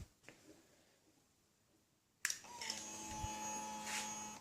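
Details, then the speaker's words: 2009 KTM 690 single after stalling/no-idle fix (injector cleaned, fuel pump replaced, external Golan 10 micron filter, Akro map, SAS eliminated): key-on click then steady high buzzing whine about two seconds, fuel pump priming much louder than before, healthy. "Don't know if you could hear that priming, but it's much louder than it used to be."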